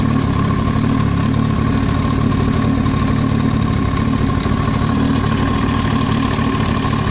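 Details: Yamaha YZF-R1 at idle: loose, uneven tapping about three per second over a steady hum, an extraneous noise from the cylinder head; top-end knock.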